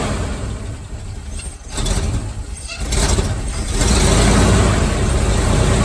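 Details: Tired, abused mid-70s 350 in a '78 Chevy truck, found with about 1.5 quarts of grease-like oil, timing being adjusted. Rough idle that climbs with revs, with a dull repeating knock underneath. Afterwards it screamed and stopped, possibly locked up.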